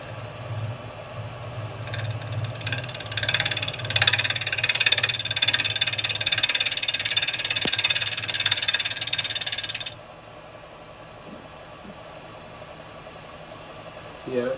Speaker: but it's a little bit out of round so I'm going to get a bit of a bounce at first that sounds a little bit chippy there yeah